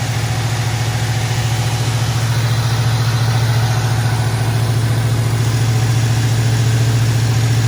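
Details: 1973 Ford Mustang convertible, 302 V8, Motorcraft 2150 two-barrel carburetor, automatic choke; just started cold, steady even idle held slightly high, regular pulse, no misses; normal fast idle on choke.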